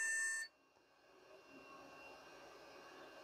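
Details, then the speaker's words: Vintage beige PC pulled from e-waste, first power-up: a steady high-pitched beep sounds briefly at startup, then only faint room hiss remains. Hard drives don't spin up; a POST error with the cause unclear. "and then all of a sudden it came on in meaning that the hard drives for example didn't spin up it's not very happy definitely complaining about something"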